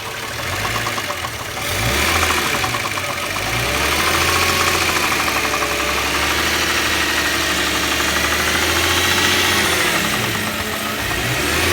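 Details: Subaru EZ30 engine with a spun bearing: steady, somewhat uneven deep knock at roughly three beats a second under the engine's hum, rod knock from the spun bearing.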